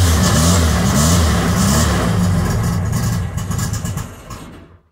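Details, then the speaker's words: VW Bug with Weber 44 IDF carbs, just after installing a CB Performance Black Box ignition: a lumpy carbureted idle sags and fades to silence over about five seconds, stalling because the key was held too long and the choke deactivated. "key turned for too long the choke deactivated so that's why it's dying"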